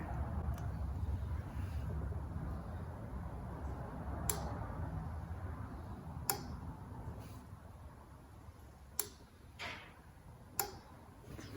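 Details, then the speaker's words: 2006 Buick Rendezvous 3.5L with an intermittent no-start. The fuel pump relay in the fuse box is commanded on by the computer and gives a few sharp, separate clicks, so the relay pulls in normally, though the relay itself is not yet proven good. "I definitely hear a control so in literally 3 to 4 minutes time we figured out the Relay can be turned on"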